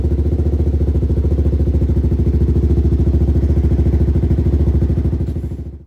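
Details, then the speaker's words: 2006 Suzuki LTZ 400 with aftermarket pipe, first cold start after carb cleaning and jetting (stock pilot 22.5, main 130), choke off, fresh fuel; previously ran only on starter fluid. Smooth single-cylinder thump about 200 a minute, no misses; normal idle. "Let's see if she starts up. Wow. Just like that. It's ice cold too. I haven't even touched this thing. Ice cold. Perfect. Beautiful. Perfect."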